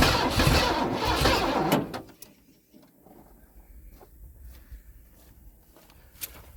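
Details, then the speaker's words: Ford F-150 V8 farm truck sat over 10 years, new battery, slow cranking blamed on corrosion, starting spray in intake, fuel system disconnected: rough cranking with a few uneven firing attempts that pop but die without catching. "she's trying let's give her a little shot she's alive she's alive okay so as you guys can tell it did pop over which is good"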